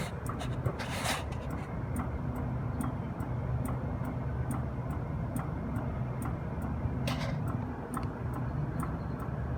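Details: Copeland refrigeration compressor at the end of pumpdown: low steady hum with a sharp, light tick about twice a second; heard while testing after replacing the stuck-relay CoreSense module, draining acidic oil and changing the drier.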